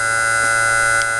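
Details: Miniature 2-coil Thomas motor, 18 ohms DC, 6-magnet rotor, 5 thousandths core clearance, at 15 V drawing about 141-144 mA: clean steady high whine, no rattle or scraping; very quiet, very smooth.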